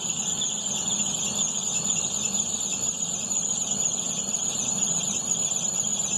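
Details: 2011 Opel/Chevrolet Astra, new Poly-V accessory belt, noise when A/C switched on: steady piercing high squeal over a quiet engine; crankshaft pulley ruled out, owner suspects the tensioner next. Accessory belt squeal with A/C on.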